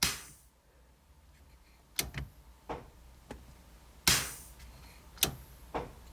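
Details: One-ton-swapped Jeep Cherokee XJ: sharp, dry clicks in a quiet space as a switch is thrown, identified as the rear air locker solenoid switching, a normal sound.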